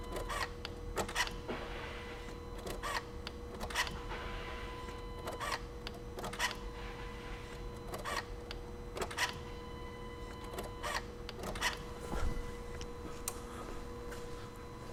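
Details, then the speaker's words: 2004 VW Jetta TDI BEW diesel after fuel filter and weak lift pump replacement: key cycled repeatedly, pump running about a second each time to purge air, faint steady electric hum with light ticks, no grinding or straining; normal lift pump priming. "I'm just cycling the key multiple times because the fuel pump will run for a second each time you cycle the key."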